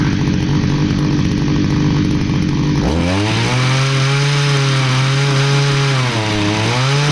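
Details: Stihl HS45 hedge trimmer, long unused, two-stroke started after priming with fresh fuel and a new air filter following a customer tune-up: catches after a few seconds, buzzes high, revs sag and hunt; runs rough, needs more work.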